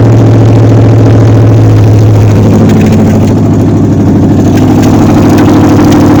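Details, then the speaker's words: 1953 Ford Customline with a swapped-in 350 Chevy V8 and no exhaust fitted, carburetor found bad out of the box: loud, fast, lumpy idle that stays high; cause unclear, with a rocker adjustment or a carburetor vacuum line leak considered. "I have no idea why it's idling high. I sincerely doubt it."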